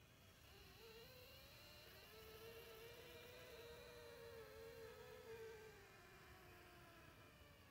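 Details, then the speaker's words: Edelkrone Slider Plus with Motion Kit, 100% speed, B to A while tracking a target, mic close: thin wavering ~500 Hz whine, steady through move; most noise from head unit motors, quieter without tracking; not silent as claimed. "all right so there you have it most of the noises come from this head unit"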